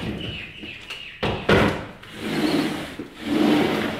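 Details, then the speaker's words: Glass sliding patio door after roller wheel replacement, previously grinding and bumping: soft, even rolling swish with a thump at each end and no grinding; smooth sliding door operation. "So we've got a nice, quiet, smooth, perfectly operating door. That's exactly what we're after."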